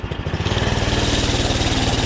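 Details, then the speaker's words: 79 cc single-cylinder Doodle Bug minibike, started with the choke on, after work on it: a quick, even putter at idle with no spitting or sputtering; it idles normally and sounds healthy. "she sounds good idle's good sounds like a Runner boy seems like a runner"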